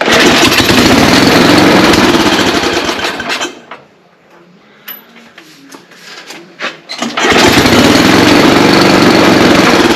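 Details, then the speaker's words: Ariens ST824 snow blower, 8 hp engine with 24 in swath, hard starting; started at idle after fuel finally reached the carburetor: steady fast putter that drops out about four seconds then picks back up, stumbling on fuel; runs but carburetor needs inspecting. "all right it looks like I need to peek inside the carburetor but it did run"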